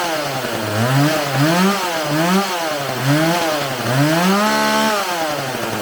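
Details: Homelite 4620c 46cc chainsaw with 20-inch bar, just restarted after recoil starter repair, carburetor cleaning and new fuel lines; repeated throttle blips with revs sagging on the drop-off show hesitation off the throttle, so the carburetor is to be adjusted.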